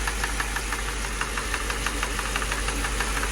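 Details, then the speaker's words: Mercedes (title says 2006 CLS 500) idling with check engine and battery lights on: sharp, fairly even ticks about three a second over a steady idle, like a drum line; internal knock, source not yet pinned down. "god sound like it's coming from this area that sound like the drum line at a football game what is that i can't tell where it's coming"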